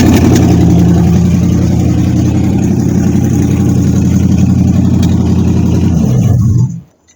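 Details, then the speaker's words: 1953 Ford Customline with swapped 350 Chevy V8, carburetor bad out of the box: engine holds a low, ragged idle then dies, running on the idle circuit alone; pumping throttle gives only a tiny squirt, so the accelerator pump is dead. "so the idle, it's running on the idle circuit alone, and if you pump like a whole bunch of gas, you get a little tiny squirt. That's why it's able to go, or the gas from the carburetor is leaking in there somehow. But it's not spraying from the actual accelerator pump."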